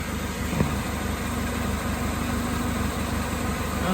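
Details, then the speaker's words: 2005 Chevy Malibu 2.2L, 250,000+ miles, warm idle after a test drive following a head gasket replacement. Smooth, steady idle with no misses or knocks; coolant holding, running normally. "Made it home. She's running. Still got coolant."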